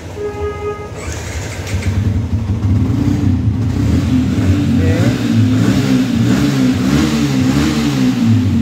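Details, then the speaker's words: Yamaha Vixion old model, engine code 3C1, which stalled after a steam wash, after the fix: engine fires after a second, settles, then revs up and down cleanly with an even beat; running healthy, fault cleared. "nah ini motor sudah nyala teman-teman RPM naik ya bahwasannya menandakan Ini motor sudah hidup ya"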